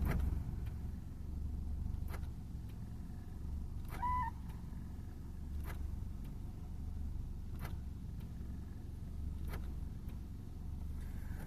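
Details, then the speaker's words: 2004 Subaru Forester X 2.5L SOHC after replacing driver's-side injectors: steady low idle sags and roughens, nearer stalling with more vibration, when door-lock solenoids actuate; load-related idle dip, cause unconfirmed, alternator passed a 2,000 RPM test. "I do notice with I'll go back to the light when I do the solenoids it really draws it down"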